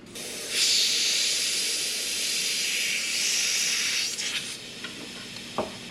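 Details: Mitsubishi Evo with an engine swap: a sharp, steady high hiss for about four seconds, then it dies away. Boost leak, with pressurised air escaping.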